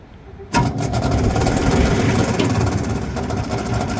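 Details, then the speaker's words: Exhaust fan after a belt check starts with a fast, uneven scraping rattle as the wheel rubs on something; its bearings also sound bad as it slows down. "I got a Titan belt on here but now the wheel is hitting something"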